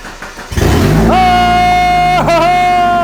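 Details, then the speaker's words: Barn-find Mazda Miata, first start after a fuel pump relay was plugged back in, oil and coolant condition unknown: a short crank, then the engine catches and settles into a steady run; normal start. "we don't know about any oil or coolant or anything like that but it started"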